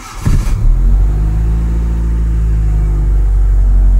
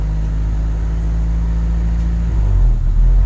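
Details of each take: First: 1996 Honda City 1.5i with check engine light and erratic idle, after repair: engine catches after short crank, settles into even, low steady idle with no hunting. Normal idle. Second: 1996 Honda City with check engine light and high, fluctuating idle: low steady drone that swells and dips unevenly, erratic hunting idle from a faulty coolant temperature sensor.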